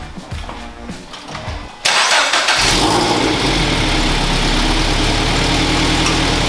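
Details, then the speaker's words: 2012 Toyota 86 GTS boxer engine, first start after Tomei UEL header install: catches after short crank, settles into loud raspy idle with puffing tick over the rumble; sounds like an exhaust leak at the header. "ready it sounds like a leak doesn't it yeah yeah i thought so"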